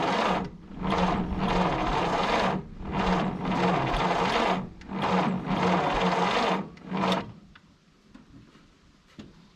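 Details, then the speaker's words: 1951 Willys CJ3A Jeep, 6-volt four-cylinder off the road since 1969, after new points with spark confirmed: several slow, laboured cranking bursts winding down on a weak 6-volt battery, only a small pop, no catch; weak crank, no start. "I'm gonna have to get a new 6-volt charger so we can get this battery recharged probably. But did you hear that? Did you hear it? Yeah, we still got charged. Good. It did pop. Just a little, but it did."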